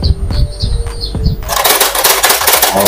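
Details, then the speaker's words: Epson L3110 printer with the paper indicator lit: short ticks and a clunk, then a rattling whirr as the pick roller runs, but the sheet never feeds; mechanical pick-up fault. "teman-teman ada bunyi narik kertas seperti ini dan lampu indikator kertas menyala kalau menyala ini tandanya memang di membaca kertas kertasnya tidak masuk"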